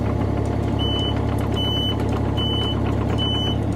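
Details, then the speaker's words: Takeuchi TB230 mini excavator track drive after a pop left it unable to move: steady engine drone with the drive motor turning smoothly, no knock or grind, periodic beeps; the motor now turns as it wouldn't before. "that looks pretty good if you ask me yep I think it's good looky there see it wouldn't do that before"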